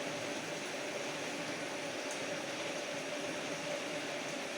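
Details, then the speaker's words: Bosch gas water heater that would not light, running after the valve checked good and was reconnected and gas and water turned on: pilot lit, burner gives a steady even roar, no popping or sputtering; burner operating normally. "vamos a abrir el gas démosle la orden al agua el premio del piloto y hay encendió el quemador"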